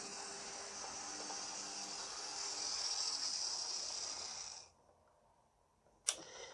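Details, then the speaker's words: Second-hand Lima Class 73 model locomotive (73108), after cleaning and dealing with loose traction tyres, before running-in; even high-pitched whirr from the motor and gears, then a clean stop; smooth and healthy, notably better than before, with electric motor smell. "but she does seem to be a fair bit better have a listen yes that is a mini Henry Hoover"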